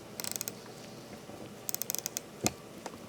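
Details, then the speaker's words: Landeron 248 chronograph movement being wound at the crown: fine ratchet clicks, then a sharp snap as the mainspring slips in the barrel after about 7-8 turns. A damaged or worn mainspring or barrel arbor is suspected. "I will just wind it and then you will hear distinctively when the mainspring inside the barrel slips"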